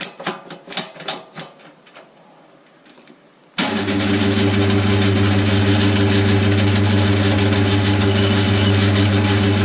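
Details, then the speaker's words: Lathe boring a face mill sleeve bore toward 25.38 mm, currently around 23: steady drone with a dull rubbing scrape, no chatter; poor surface finish, boring bar sounds like it's rubbing; bar later replaced and feed rate changed. "I'm not really happy with the surface finish that it's giving. It sounds like it's rubbing."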